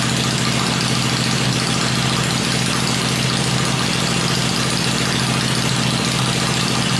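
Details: Freshly rebuilt 96-inch engine with Edelbrock heads, on an engine stand before going into the bike, holds a steady, even V-twin lope at fast idle with a deep rumble and no knocks or ticks. The stand shakes at lower revs. Normal idle.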